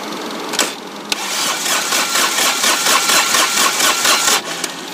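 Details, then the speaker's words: Dixie Chopper mower diesel that ran out of fuel, cranked with injector lines loosened to bleed air: starter churns in even pulses about twice a second with no catch or firing; won't start with air in the fuel lines. "So what I'm going to go ahead and do is crank it, and like I said, you want to see fuel coming out of those injectors pretty solid."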